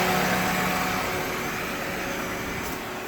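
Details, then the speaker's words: 2003 Toyota Corolla 1.8 L 4-cylinder with AC, idling just after accessory drive belt replacement, in Arizona summer heat: smooth even idle hum settling slightly quieter, no belt chirp, squeal or slap; normal idle. "There we go. New belt. Don't have to worry about it blowing out on me. There we go."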